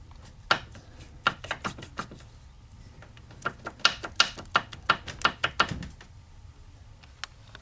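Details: 1982 Mercedes-Benz 240D OM616 diesel, 259,000 miles, turned slowly by hand: uneven sharp clicks, a couple per second, from one cylinder; piston slap, No. 3 piston skirt broken, pieces found in sump.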